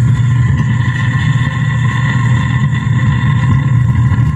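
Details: DB Audio SUB-51-575BT subwoofer: display, power supply, USB, Bluetooth and FM work, but a steady, rough low rumble with gritty buzz plays instead of music, distorted sound from failed amplifier chips.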